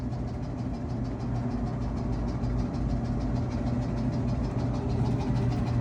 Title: Samsung Dryer Making A Weird Noise | Rubbing Sound | Noisy Dryer | Squeaking Noise